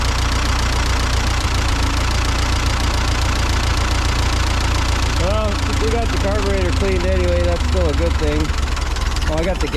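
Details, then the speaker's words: Ford 8N tractor after the ballast resistor wiring was moved to the stud; low, steady chug at an even beat with no stumbling or surging; normal idle. "yeah I'd say that was our issue now it'll idle"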